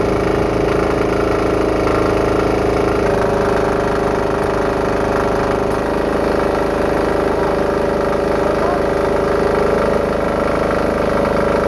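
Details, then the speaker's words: Diesel-engine-powered air compressor after removing a check valve so the pressure unloader works better: steady even diesel drone pumping up, no sputter or misses; normal running. "In this engine, you could hear the load was reduced. The RPM went up a little, and it stopped, it sputtered a litt"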